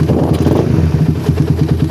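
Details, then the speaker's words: Motorcycle with a well-tuned PWK carburetor, original choke still fitted: initial throttle opening is clean, and on release the revs drop straight into an even, steady idle with no hanging. Normal return to idle. "terus bukaan gas awal udah ggak ada masalah terus lepas gas dia langsung turun gak ada gejala"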